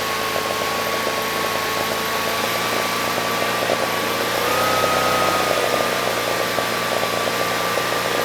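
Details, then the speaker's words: Generac standby generator (model 0058751) 999cc engine shut down for low oil pressure, gauge showing 50 PSI before teardown; idle set screw maxed out: smooth, even hum, no knocks or misses; normal running. "All right, that sounded pretty good."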